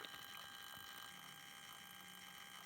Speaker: now i've got this apart it's it's really clear where the noise is coming from it's definitely coming from this choke filter choke on the low voltage side of the supply